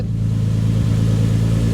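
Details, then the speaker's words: Nissan 300ZX with a rebuilt engine, after the turbo was removed and refitted to fix an exhaust leak, running on 83% ethanol on a hot day and idling for a while: a steady, even idle with no puffing or ticking. A small exhaust leak may still remain. "So the car's been idling now for quite a bit. Sounds good."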